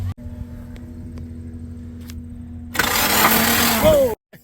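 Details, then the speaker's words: Nissan S12 with SR20DET, misfiring for two weeks; after priming the fuel system, first crank: quiet ticking then about a second of rough, laboured cranking that cuts off abruptly; cylinder flooded with gasoline from a leaking injector, head and exhaust manifold wet. "holy crap that was a lot of gasoline that was on first crank and look at this the entire cylinder head is is wet the exhaust manifold my God is this a hazard"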